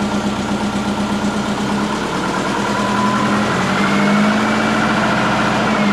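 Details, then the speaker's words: Big-turbo Subaru Forester during idle-control tuning, started and warming: loud, uneven lumpy idle that still hunts at very low RPM; rough idle from retarded base ignition timing. "What I do like mechanically, it still hunts for very low RPM."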